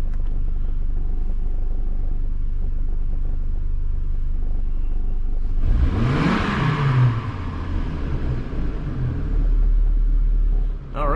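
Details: Healthy engine on a 2005 Chevrolet Colorado just after PCM replacement for a no-start: smooth steady idle, then a clean rev up and back down with no misses or knocks, revving freely during scan-tool relearn procedure.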